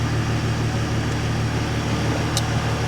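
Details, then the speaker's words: Mercedes ML350 salvage rebuild with a broken driver's front wheel speed sensor and engine management light on: smooth, even low hum with a steady beat, no knocks, ticks or misfires, sounding perfect. Normal idle. "like to know but yeah oh it sounds sounds perfect honestly i'm not even exaggerating"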